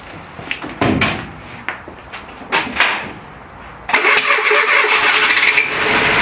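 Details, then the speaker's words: Renault Trafic, rebuilt junkyard C1J S 7000 engine unrun about 15 years, cold-day start on the original cracked distributor cap: a few cranking bursts, then an uneven, lumpy beat; plug leads 3 and 4 are swapped, so it runs on cylinders 1 and 2 only. "en gros le 3 et le 4 je les ai inversés et en plus il tournait du coup sur 1 2 et c'est tout mais tourner déjà très bien"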